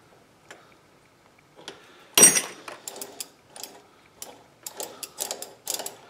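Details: Sturmey Archer 3-speed hub during reassembly, just after the bearing adjustment was readjusted from too tight. Light, scattered pawl clicks as it spins freely with no grinding or rough drag; it now runs pretty smooth.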